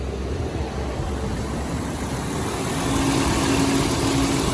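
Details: 2006 Dodge Grand Caravan 3.3L V6 after water pump replacement (leaking pump, failed bearing caused belt squeal and overheating), warm, temperature steady, cooling fans come on; even idle, no knocks or ticks, soft fan hum joins; normal idle.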